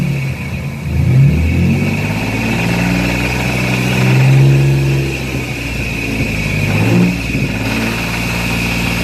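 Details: Dodge Dakota 3.7 V6 idling and revving with a deep rod knock. It began a few hours after a shop repair, with oil pressure dropping, and the engine was found to have no oil despite an oil change two months earlier and no leaks.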